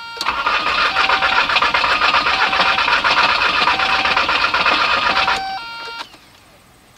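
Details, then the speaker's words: 1998 VW Jetta TDI (AHU) with rebuilt injection pump and new timing belt, cranked after the glow plug light goes out: the starter turns at about four beats per second for five seconds but it never catches. It fires only on starting fluid. "Crank and crank and crank and crank. It will not start, period."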